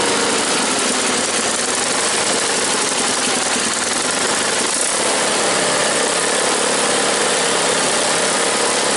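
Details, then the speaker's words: Cold small engine (tuned like the SS16) idles rough, loose uneven beat hunting and stumbling; won't hold idle until completely warmed up, tuning not yet perfect. "She doesn't like to idle when she's like cold. She won't idle until she's like completely warmed up."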